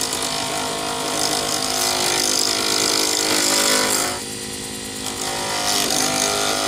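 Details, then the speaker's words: Lathe turning a D-shaped resin circuit board blank for a Sierra pen: harsh rapid chattering rasp, about four hits a second, as the tool strikes the corners; once round, it just sounds like rubbing plastic. "When you're hitting the corners, you get a an obvious chattering noise. Then as you get down to actually turning a round object, you have no more noises."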